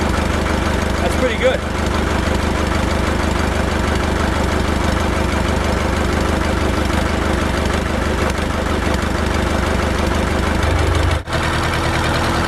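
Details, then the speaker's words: Ford 1920 diesel tractor (Shibaura-built, also sold as New Holland) idling with no muffler; loud raw chuffing around three beats per second, softening near end; missing silencer. "We're going to listen to it with the no muffler on there."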